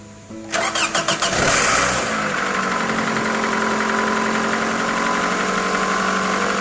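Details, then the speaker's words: 2010 Toyota Camry 2AZ-FE 2.4L after camshaft and VVT-i gear replacement for a P0335 code: short crank, engine catches cleanly and settles into a steady, even idle with no knocks or ticks; check light goes off, healthy start. "हां हां तो दोस्तों गाड़ी की starting बिल्कुल okay है और गाड़ी में कोई मसला नहीं है"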